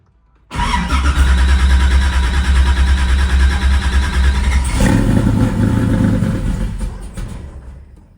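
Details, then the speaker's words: Port-injection car (Eleanor) in cold weather, battery recently found dead, cranked in neutral: several seconds of steady rhythmic cranking about three turns a second without catching; slow to fire up, owner blames the tune. "because I don't like how slow this thing is to fire up. The tuner should have dealt with that. In my opinion, it doesn't crank up fast for a port injection car at all."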